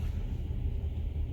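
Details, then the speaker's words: 2015 Nissan Altima 2.5 with check engine light, codes P0300 multiple misfire and P0014 exhaust cam timing; rough, lumpy, missing idle, traced to a dead exhaust cam timing solenoid. "and your idle is rough also it's like it's missing so the first thing we got to do is to a scan it pull the code so we can go from there"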